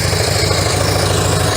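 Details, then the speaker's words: Harley-Davidson FLHS Electra Glide V-twin idling after repacking mufflers with fiberglass, fresh engine and transmission oil: deep loping, mellow exhaust, no ticks or rattles; noticeably different from before, healthy. "It's mellow. It's got that distinctive Harley Davidson sound, but it's just like you can listen to that all day. It's not going to drive you nuts."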